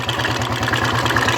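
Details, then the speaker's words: Royal Enfield 350 Electra after a two-day tapping-noise repair; oil now flowing properly to the top end, so tapping is gone; steady even single-cylinder thump at idle with quiet valve train: normal idle. "और आवाज़ भी बंद हो गया है। आपको दिख रहा, इस गाड़ी का जो आवाज़ था वो बंद हो गया और काफ़ी लंबा टाइम लगा इसको, लेकिन हो गया, बहुत ही अच्छे से हुआ ये।"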